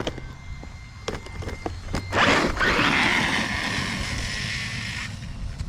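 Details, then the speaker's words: Rough, gritty high whirring held steady at full throttle across a field from an RC car (Traxxas Sledge/X-Maxx video) nearly a year old, run in water, on original stock bearings; owner suspects dirty bearings need cleaning, cause unconfirmed. "If you guys know what that sound is, it's not sounding smooth at all. But I've almost had it for a year. Basically stock bearings or original bearings out of the box, so I do need to take it apart, clean up the bearings."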